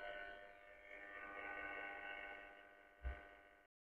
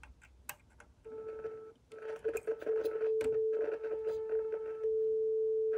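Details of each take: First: Loewe Opta Rheinperle 4716W tube radio during restoration, after capacitor replacement, first whole-radio power-up via lamp limiter at about 163 V: steady layered hum from speaker with no programme; cause not yet known. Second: Loewe Opta Rheinperle 4716W tube radio under restoration, 400 Hz signal injected at the output tube anode: clean steady tone from the speaker amid handling clicks, showing the output transformer passes signal fine.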